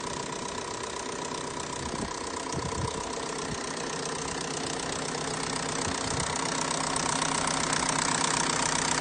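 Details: Big turbo FSI engine build idling with a fairly regular light knock about three times a second over the hum; the engine has sounded odd since first start, and the source is still unknown and under investigation.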